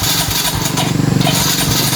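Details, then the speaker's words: Mio i 125 scooter cranks steadily with rapid starter churning but never catches or fires. Planned checks are spark plug, fuel line, compression and throttle body cleaning. "Mi I 125 ang customer Ngayon ang problema nito is ayaw mag-start"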